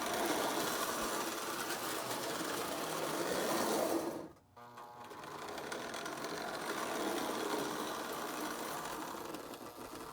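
Fast, even clatter of a small motor and wheels rolling along track, steady pace with no stumbles; toy locomotive running fine.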